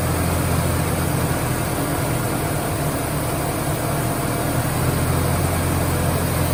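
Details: 1996 Ford Ranger starting and settling into an even, steady low rumble with no misses, knocks or hiss after a vacuum leak was plugged; smooth, healthy idle.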